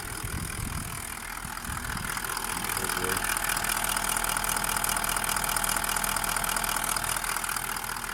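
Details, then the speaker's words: Toyota Land Cruiser 200 1VD-FTV diesel V8 at warm idle after a full rebuild for a foreign knock (piston or bushings suspected), assembled and going through injector coding: a steady, smooth clatter with no knocks or foreign noises, a healthy engine. "Линия у нас все, автомобиль собран, прогрет. Посторонних звуков нет. С одной стороны."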